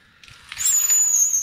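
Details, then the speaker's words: Honda Accord, rear left wheel running very hot: car on a jack, wheel spun by hand turns barely at all, with a short thin high squeal that stops almost at once. Brake drag; suspected sticking floating caliper parts or a seized caliper piston. "fast gar nicht man hört es schon an quietsch geräusch die bremse ist hier fällt rückwärts ist echt geil könnte ich den ganzen tag zu machen für mich eindeutig dafür dass sie entweder in den schwimmenden teilen des bremsweges der da nicht locker lässt oder der bremskolben an sich fest ist"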